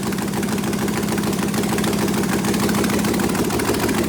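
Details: Prepped engine running with open ports and no headers, mass air flow sensor unplugged (open loop). Fires right up into a loud, steady, even idle with no misses or knocks. About 36 lb oil pressure at idle, rising to 50. Normal idle.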